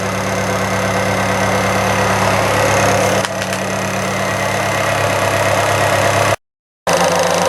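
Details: 1998 Fiat Cinquecento after radiator replacement, alternator bearings expected to squeak: steady, even idle with a smooth low hum and no knocks, misses or hunting; engine running healthy.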